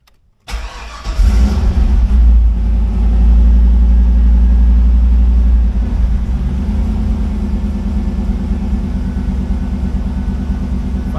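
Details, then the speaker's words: Chevrolet El Camino with 5-speed, cold start: quick crank, catches at once, brief rev then steady even low rumble settling to smooth idle, no misses or knocks; starts far better than before, normal. "So everything sounds good."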